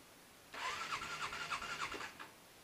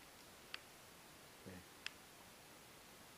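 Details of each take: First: Motorcycle that starts rough and cut out while riding, in extreme cold below -10: about one and a half seconds of labored cranking with a few rough pulses, then it dies without catching. Owner suspects the battery; hard starting. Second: Motorcycle with trouble starting and cutting out while riding, cold start at about -12 °C in a poorly insulated garage after a previous bump start: brief starter whirr, then it catches and settles to a steady idle; starts cleanly, cut-out still unexplained.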